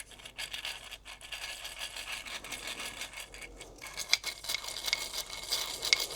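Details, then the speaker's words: 1955 BSA BM33 inner casing bearing, cleaned of oil and spun by hand after its first ride in 30+ years: dry gritty rasping and ticking, bearing has wobble and is shot to pieces. "Just goes to show. It's yeah, might have been overlooked, but my god, that is shot to pieces."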